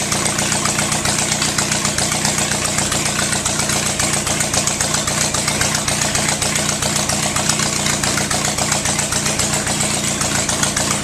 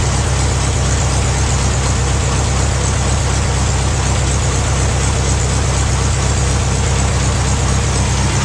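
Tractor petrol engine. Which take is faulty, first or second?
first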